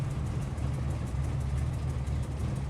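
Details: 1998 Ford Explorer after attention to a vacuum line tube that goes nowhere, idle check: a low, steady idle with a slight unevenness in its beat; it still sounds a bit rough, pretty much where it was before.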